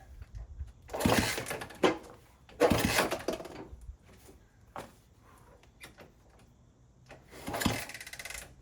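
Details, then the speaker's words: 1964 Honda CT200 Trail 90 after sitting 50+ years, first kick-start attempt, no chain, little fuel: three kicks, each a short clattering turnover that dies; seems to have compression but won't fire. "Sounds good. Sounds like it's got compression."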